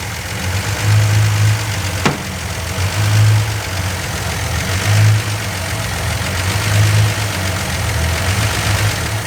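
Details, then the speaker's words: Freshly rebuilt 170 slant six in a Valiant: idle swells and sags roughly every two seconds; engine is hunting, suspected carburetor (rebuilt twice), a vacuum leak or a faulty distributor vacuum advance. "It's hunting, I think, because of the carburetor. Or a vacuum leak."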